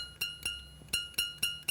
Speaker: A nice high pitched tone and the teeth are pointing downwards.